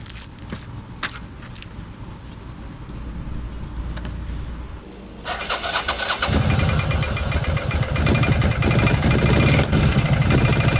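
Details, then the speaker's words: Cagiva 750 Elefant Ducati V-twin after a bad wiring connection was fixed, having run on one cylinder: starter churns, then it settles into a steady, slightly lumpy idle on both cylinders, a bit unclean at first from excess fuel. "Does run on both cylinders again. A bit not very clean at start, but I had a lot of gas in the system, of course, from driving it a while with the one cylinder."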